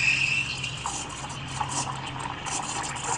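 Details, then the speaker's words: Espresso machine steam wand run without milk while practising steaming; loud, airy, spitting hiss with uneven sputters, the noise that improper steaming technique makes, whereas correct steaming by pulling the wand and giving it air should be quiet. "Yan. Nakita nyo yung ingay niya? Yan. So, yan. Dapat hindi nyo siya ma-achieve yung ingay."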